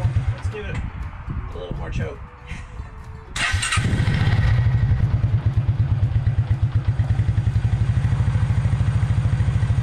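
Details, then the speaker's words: 1996 Suzuki King Quad 300 4x4 ATV after carburetor rebuild, still a little cold with weak throttle response: fires up and settles into even, steady low thumping idle with no misses, running better than before; normal idle. "well as you can see it's running now and it's running a little bit better than it did before"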